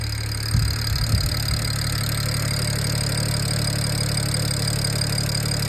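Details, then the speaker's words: BMW 335 N54 on MHD tune at idle, after clearing faults from a short to ground and dead battery; brief stumble at startup then steady, even idle with deep exhaust drone, no knocks or misses, healthy. "Yeah, buddy. She sounds good too. She's on the MHD1."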